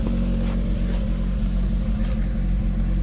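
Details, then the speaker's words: Rover 25 GTI 1.8 VVC with its 4-pin idle air control valve unplugged: steady, even hum holding at a raised idle without dipping; high idle persists unplugged, owner suspects valve defaults open. "with this is I'm sure if I unplug that, it then still sits quite high."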